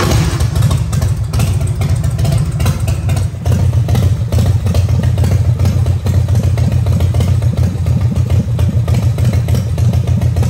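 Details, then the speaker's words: Harley-Davidson shovelhead/evo-style V-twin with Daytona Twin Tec electronic ignition, at idle during timing-light check (timing retarded at idle, advances by about 1500 rpm): deep, loping potato-potato idle, steady and even with light valvetrain clatter; normal idle. "And the reason it's doing that is because we're at idle speed right now."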